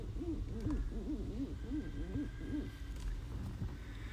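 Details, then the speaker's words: 2013 Toyota Highlander, heard under the dashboard: rubbery squeak rising and falling about twice a second as the wheel turns; steering column rubber boot rubbing on the coupling. "it seems that this rubber housing is rubbing against the other coupling and that is what is making this noise"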